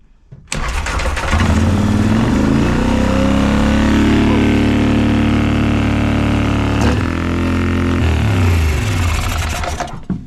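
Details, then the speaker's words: Polaris Sportsman 850 ATV after copper-tubing coolant return pipe repair, control valve disturbed: engine catches and holds a fast cold-start idle near 1600 rpm, gradually easing toward about 1300; judged probably fine. "sounds like it was on uh automatic takeoff mode uh 1, 1600 RPMs coming down to about 14 13,200 that's probably pretty good"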